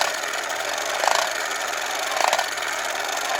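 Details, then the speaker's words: 1960s Remco Tiger Cat toy jeep being restored, put in gear: small motor whirs with a gritty clack about once a second as the front axle ring gear skips each time the broken tooth comes round, making the wheel chatter. "As it's showing, if I put it in gear, you can hear the front gear on this front axle skipping. You hear every time it comes around to the bad tooth."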